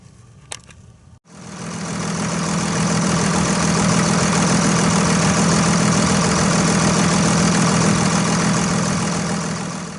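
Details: 2001 Dodge Ram 2500 Cummins turbo diesel after a completed fuel filter change: fires after a short pause and settles into a steady, even diesel clatter with no misses or knocks; a healthy idle.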